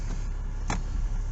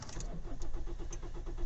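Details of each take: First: Kia diesel started an hour after the last run, after glow plug light off, despite an air leak at a corroded metal fuel line connector; cranks slightly longer than normal, then low steady rumble settling to even idle. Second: Kia diesel after the glow plug light goes off, clutch down: the starter churns in steady beats for well over a second before it fires; slow to start, suspected from a corrosion air leak at a metal fuel connector.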